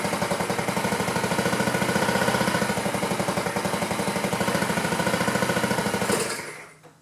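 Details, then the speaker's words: 2009 Honda Metropolitan scooter with new carburetor fitted by owners, low battery, kick start after refueling and fuel pump check: steady rapid chuffing about three pulls a second, never catching; no-start, fuel delivery being checked, possibly flooded. "Well, it doesn't want to throttle up. Pulled the fuel line back off, and I want to see if it's pumping through there."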